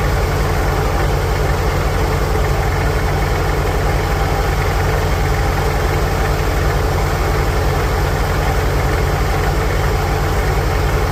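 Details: 1946 International Harvester Farmall H, in neutral after a pushrod replacement and deep cleaning, with a low battery: steady, even low thump with no misses, knocks or hunting; smooth, normal idle.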